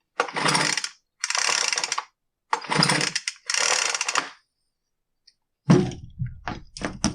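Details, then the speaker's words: Poulan Pro BVM200VS handheld blower that won't start, spark present, air filter plugged: four quick raspy pull-cord strokes that pull too easily, no firing; no-start from low compression, air leaking at the cylinder base. "I don't know if you hear that or not but it just sounds like the air isn't moving right through the engine I know that sounds weird"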